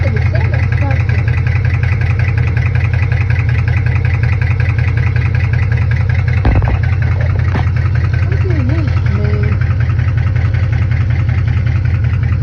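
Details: Chevrolet Camaro SS V8 at idle: steady idle with a quick, fairly even tick on top, about 160 a minute; lifter tick or rod knock, unconfirmed.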